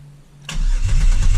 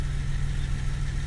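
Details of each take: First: 2000 Camaro 3.8L V6 after reinstall, oil overfilled to 8.5 quarts, plug wires and PCM fuse back in: steady even starter crank about two seconds without firing to build oil pressure, which then reached 60; normal cranking. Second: Reinstalled 2000 Camaro 3.8L V6 at idle: steady low idle with fast light tapping; owner rules out lifter tick since it fades at high RPM with good oil pressure, suspects a damaged front crank pulley; not confirmed.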